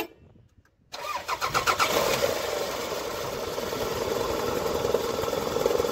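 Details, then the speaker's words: Toyota Camry four-cylinder at start-up: engine catches and settles into a quick, uneven knock of about three per second at idle from inside the engine; timing belt suspected. "ये देखो sound, इसका अलग sound आ रहा है, धक धक धक धक धक धक अंदर से आ रही है।"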